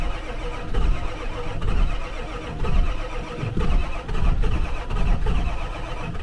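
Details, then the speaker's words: Old diesel truck with a mechanical lift pump, cranked to prime new fuel after crud was found in the tank, on a jumper box. Long, labored, sagging cranking with only a puff, no start; the batteries are dead. "gosh dang the batteries are like already dead what did I get myself into with this truck"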